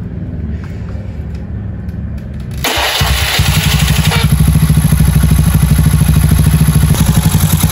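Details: Honda Beat carburetor engine bored to 130cc with standard valves, rebuilt from scratch, first start during break-in of new parts. Starts cleanly to a steady single-cylinder idle, revs rise quickly, quiet exhaust: normal start and idle.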